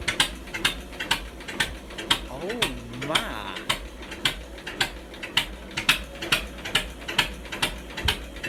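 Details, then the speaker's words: John Deere 50 two-cylinder tractor, long sat, idling with the muffler removed on just a short pipe: slow, evenly spaced sharp pops at about two a second, crackling loud from the open pipe. Normal idle. "Let's see what the old 50 sounds like with no muffler. Ain't that something? Just a little pipe there, right?"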